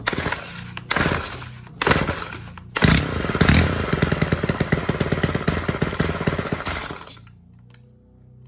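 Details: Stihl KM 90 R KombiEngine two-stroke trimmer that won't stay running, during carb adjustment in quarter turns; catches in short bursts, runs lumpy and uneven for about four seconds, then dies; rough running, cause not confirmed.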